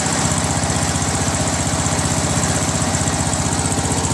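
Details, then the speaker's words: Free Craftsman LT1000 lawn tractor, 21 hp Briggs opposed-twin, reported grinding and suspected rods, after governor adjustment at lowest throttle: low, even putter with no surging or hunting; normal idle, likely only a throttle/governor adjustment issue. "I adjusted the governor just the governor held it there the lowest throttle"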